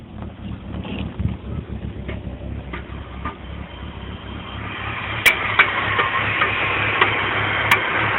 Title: BMW 325i E46 Rough Idle Popping Sound